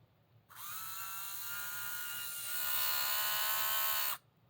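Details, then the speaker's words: HO slot car with the rear end shimmed to remove play: a smooth high whine rising slightly in pitch as it spins up, with no gear rattle or chatter; runs clean. "So yeah, this is set up, man, with the shimmies. And you can tell the difference in sound, man."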